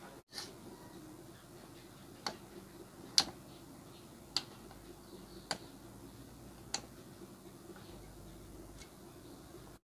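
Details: Samsung CRT TV dead, no picture and standby LED not lighting, only a tik-tik ticking from the power supply restarting against a shorted horizontal output transistor; about 165 V recovered once a resistor was lifted.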